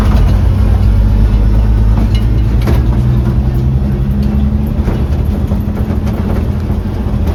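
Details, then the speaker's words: '56 International S-160 4x4 old six-cylinder after carb accelerator pump repair, with one vacuum line still disconnected: heavy, lumpy, uneven idle that wants to die with the choke off; timing needs more adjustment; rough idle. "Well, I'm getting her dialed in, but now [Music] it wants to die with a choke off. So, I got to time it some more."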